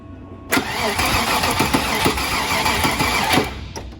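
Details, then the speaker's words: Original Land Rover Discovery that would not run, with a fuel pressure gauge on the test port; steady starter cranking at about three beats a second with no firing, and the gauge shows no fuel pressure, so owner will add fuel and retest. "It doesn't show any fuel pressure on the gauge, So I'm going to run and get some fuel, put it in here, and test it again."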